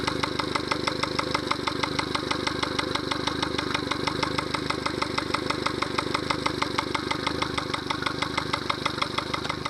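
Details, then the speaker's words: Yamaha 70 hp outboard idling, no alarm: steady sharp knock about three per second — fuel starvation because a Honda fuel line connector was used instead of the Yamaha connector. "There's some knocking sound. I don't like that. Some knocking sound. Remote control, there's no alarm. Well, there's some knocking sound that you can hear."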